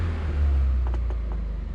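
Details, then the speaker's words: 1987 Porsche 924S, first run after a new Bosch fuel pump, with an injector problem suspected. Low, lumpy note with an uneven pulse, as if missing on one cylinder. Revs pick up faster; it later hit on all cylinders once warm. "but it is running that's a plus it though i don't know what y'all think i mean it's starting to gain rpm a lot faster it just needs to run a little bit"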